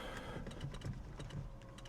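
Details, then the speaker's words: 2006 Mini R53, ignition on, horn pushed: sharp light relay clicks with each press but no horn sound, only a faint low hum; both horns not working. "I can hear the relay clicking, but there is no sound coming from the horns themselves."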